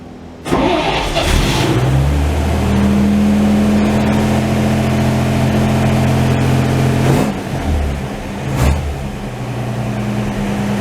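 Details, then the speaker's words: 1949 Chevy truck, unstarted for about a week and possibly low on gas, on a hot day: cranks and is slow to fire, catches with a bark, then settles to a steady low idle (preferred around 600 rpm); hard starting. "That may have been all the gas that was left in the car, but we'll see. Oh, it's trying. One more again."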